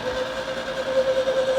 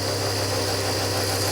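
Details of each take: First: Rare rear-engined Skoda barn find cranking evenly about three beats a second for four seconds, never firing; strong spark but no fuel coming through, tank contents unknown, mechanical fuel pump suspected of dying. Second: Barn-find rear-engined Czechoslovak Skoda, long stored, run with fuel fed into a jug, on choke; some excess fuel burning off at the rear. Steady, even, slightly raised idle, no misses or knocks; normal fast idle on choke.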